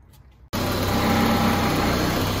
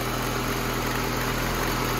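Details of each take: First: 1988 VW Cabriolet, Bosch CIS fuel injection, idling cold: uneven lumpy idle with buzzing motor-mount vibration, caused by a loose ground on the idle stabilizer valve; idle is fine once warm. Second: 1988 VW Cabriolet, Bosch CIS injection, rough cold idle: idle smooths out and rises slightly once a loose ground makes contact; steady even hum.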